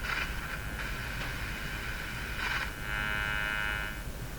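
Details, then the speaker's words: Philco 49-501 Boomerang radio warming up; its special 30-4644 tuned capacitor appears defective. Loud hiss with intermittent crackling and swooshing over a steady buzz from the sweep generator; suspected component breakdown, cause unknown, and it went away. "so there was a lot of of crackling swishing sort of sounds uh to me sounded like a component failure breakdown component breakdown who knows"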